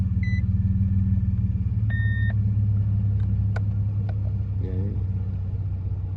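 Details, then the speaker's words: Truck restarted after it shut off with the oil light on, though the dipstick shows plenty of oil: it started a little shaky, then settles to a steady, deep idle with no knocks or misses under dash chimes. Engine, transmission temperature and oil pressure read good. "Engine's okay. Transmission temp's good. Oil pressure is good."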